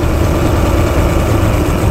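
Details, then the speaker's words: Four-stroke outboard during carburettor mixture-screw tuning, idle low, lumpy and weak, almost stalling with the mixture screw wound all the way in: too lean; screw later set back to two turns out. "that actually sounds like it's getting worse to me sometimes for confirmation as well you can just start winding it all the way in so you can hear that's quite bad now half a turn so I I wound that all the way in and it almost stalled"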